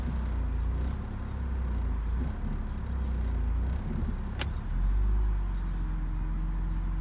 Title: E46 m54b30 rough idle at cold start